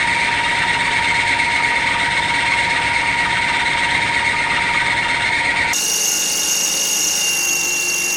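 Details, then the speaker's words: Cold mill/drill press drilling 30x30 mm extruded aluminum, speeding up the spindle in a very cold shop: high steady squeal over spindle whine, pitch shifting midway as the belt slips before warming up; belt squeal on cold start. "It's very cold in here. You can hear the belt squealing. Come on. Spindle needs to warm up for a second anyway."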